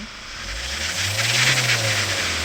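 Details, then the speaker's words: Grand Starex diesel, 280,000 km, towed in with empty coolant, no fault codes: revs up under a loud rushing air hiss, abnormal intake air sound from exhaust blocked by a broken DPF; intercooler/manifold found melted. "공기랑이 좀 이상하죠? 예. 많이 이상합니다. 많이 이상해요."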